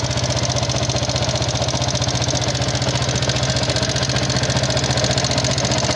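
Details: Yamaha Jupiter MX King fuel-injected motorcycle, thin exhaust smoke, before teardown: rough steady clattering tick about three to four per second at idle; combustion-chamber wear (piston, rings, valve seals, guides) suspected, unconfirmed.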